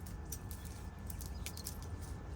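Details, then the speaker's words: Old worn O-ring chain removed from 2021 KTM 390 Adventure, missing rollers: faint, scattered high chirps and squeaks as chain is flexed; dry, unlubricated O-rings squeaking. "Those are the dry rubber O-rings actually squeaking in pain."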